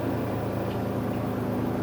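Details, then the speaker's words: Kuppet compact RV washer/spinner combo (1040603600) spinning with the spinner plate in and braced until it settles: steady, even low hum with no knocking or banging, the spinner running smoothly and balanced. "But sometimes even when you put the spinner plate in there, so you just kind of want to brace it a little bit until it gets to this nice smooth"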